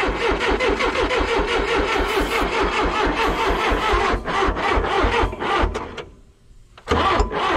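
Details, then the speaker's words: Backhoe diesel cranking with ether: steady rapid chug, about two beats a second, with no catch or run-up. Some smoke and heat come from the exhaust, but no fuel comes out of it, which is the suspected problem. "And I ain't getting no fuel coming out of this. Right. That's the problem."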